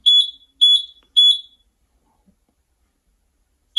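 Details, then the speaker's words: Buzzaround EX (Extreme) mobility scooter on key switch: shrill beeps about half a second apart in series of five then a pause, the five-beep brake or freewheel fault code; freewheel lever may be disengaged or brake wiring damaged. "2345 beeps okay and there is a problem electrical problem with this scooter"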